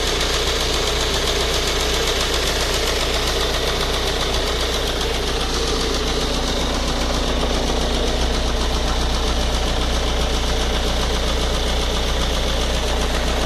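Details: Ford Focus 1.8 TDCi 115 diesel at idle: regular sharp ticking knock about 2.5 times a second over the rumble, louder after about 10 minutes' driving, shaky around 1000-1100 rpm; faulty high-pressure fuel pump.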